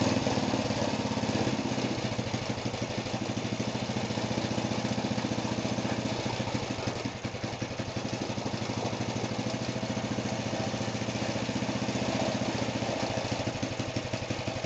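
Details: Go-kart small single-cylinder engine, first start after a rebuild: popping at a fast, even beat and settling to a steady idle with no knocks or rattles; healthy.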